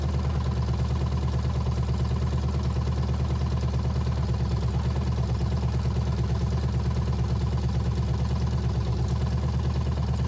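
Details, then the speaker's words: Abandoned 1985 GMC K5 Jimmy 350 small-block V8 run after sitting for years: steady, even idle rumble with no lifter ticking or knocking; a gas leak kept the run short. "it didn't sound like any of the lifters were knocking or anything"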